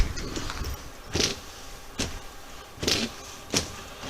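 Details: Chevy Malibu wipers tested after reattaching the arms to the wiper transmission with 15 mm bolts: steady motor hum with a regular swish and thump about every second; wipers running normally.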